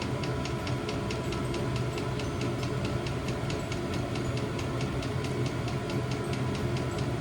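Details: New diesel heater replacing old petrol heater in VW T25 Westfalia, first startup after E10 errors in cold January; steady fan hum with quick even fuel pump tick about four a second, running normally.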